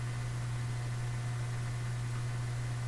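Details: Canadian General Electric A55Z valve radio after replacing first electrolytic filter capacitors: constant low, deep hum with no variation throughout; mains hum still coming through the speaker.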